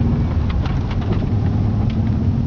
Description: Turns out i had a hole in a piston, causing 0 compression and an extreme exhaust leak.